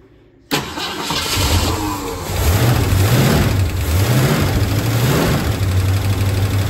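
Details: 1966 Ford Mustang GT convertible, stored over 10 years mid-restoration, after switching to main fuel tank and tightening leaking fuel filter: catches at once, settles into steady throaty idle with slight wavering; oil pressure reads high, normal start and idle.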